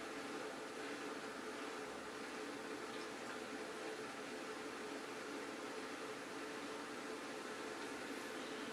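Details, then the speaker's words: Bosch dishwasher SHE4AP02UC/06 after forcing a part to click into place; constant soft hum over running water, no rattle or grinding; drain pump now empties the sump normally. "so right after doing that unfortunately I didn't get it on video but after clicking it into place everything works"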